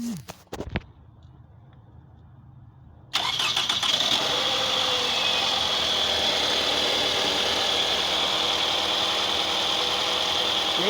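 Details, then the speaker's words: 2004 Toyota Camry after replacing faulty ignition coils for a misfire: brief crank catches and the petrol engine settles into a steady, even idle with no vibration or stumble, running normally. "andando el motor sin ninguna vibración sin ningún problema todo trabajando en perfectas condiciones"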